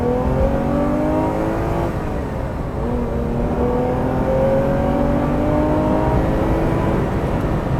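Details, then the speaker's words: Ferrari 330 GTC V12, redlined at 7,000 rpm, being recommissioned, accelerating on a clear road: a smooth, strong pull with pitch climbing evenly through the revs, no misses or popping. Healthy. "it'll never be an American V8 but it does pull strong power right up to 7,000 revs"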